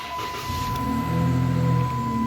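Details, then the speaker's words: Dodge Challenger on day four of a parasitic-draw test, headlights still working: engine catches promptly and runs smooth and even under a steady chime; normal engine start. "we still have our headlights which is great I'm expecting it to start right up"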